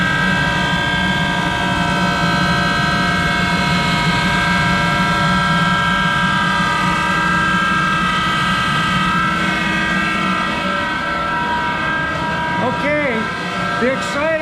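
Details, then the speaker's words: Monarch 10EE precision lathe, original drive, extremely worn; motor-generator started by hand as the switch coil is not working: loud steady electric hum with a rough, gravelly rumble underneath, holding constant; motor-generator bearings very loud, worn. "let's start the motor generator and you can hear those parents are very loud"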